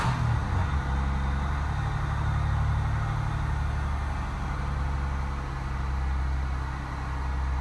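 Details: 1994 Buick Regal, Series 1 3800 V6 with 4T60E automatic, started after sitting over winter, before transmission fluid and filter service, no check engine light: steady, even low rumble with smooth four-per-second pulse, no knocks or misses; healthy idle.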